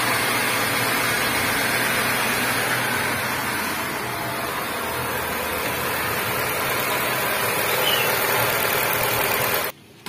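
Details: Nissan Grand Livina engine starting for the first time after an overhaul: steady, even petrol idle with a smooth hum and no knocks or ticks; the engine sounds healthy.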